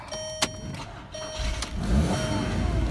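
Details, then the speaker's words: 2003 VW Beetle Cabriolet with the 2.0L four-cylinder: a brief crank, then it catches and settles into an even, steady idle with no knocks, misses or vibration. Normal start and idle. "man she sounds healthy ASAP it's of course Volkswagens ancient two-liter four-cylinder but it runs as smooth as silk no vibration"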